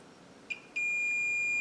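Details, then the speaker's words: Bally Embryon pinball machine stored for 30 years, checking connector pins with a multimeter on continuity: a short chirp then a steady high beep for about a second. The two pins are connected, so there is no loose connection. "good that's good so we know that those are connected we don't have to worry about that having a loose connection"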